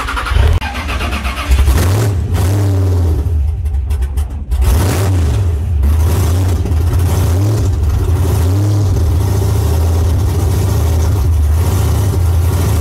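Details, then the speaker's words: LS V8 (Phoenix, blown) started despite only five pounds of oil pressure; fires and settles into a rough, uneven, loping low idle rumble, showing low oil pressure. "no we're gonna start this one even though it's got five pounds oil pressure back it inside"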